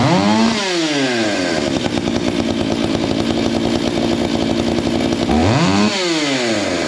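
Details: Stihl MS 461 chainsaw with Westcoast Saws kit, Maxflow air filter, carb limiters removed: revs climb fast, hold a high screaming pitch, then drop back; jets set slightly rich; carburetor still needs tuning.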